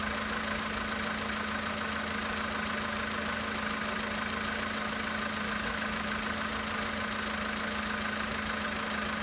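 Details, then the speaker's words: 2013 Volkswagen Polo Sedan Sochi Edition, 65,000 km, just after a cold start at idle: a fast, fairly even light knock, about four a second, over the steady engine note; cause of the knock not identified. "Запись стуков двигателя на автомобиле Volkswagen Polo Sedan Sochi Edition 2013 года."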